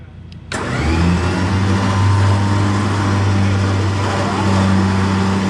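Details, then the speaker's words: Car trailer electric winch pulling against two people: steady low motor drone, strained and heavy, sagging slightly under load, very noisy; labouring more than it should, cause unknown, voltage unchecked without a multimeter, wiring previously troublesome. "it really shouldn't be struggling that much with you pulling off it what's making a hell of a noise"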